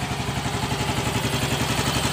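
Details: Yamaha Mio Gravis scooter restarted for a final check after the new side stand switch is fitted: steady, even single-cylinder putter at idle with no misses, knocks or stalling; running clean.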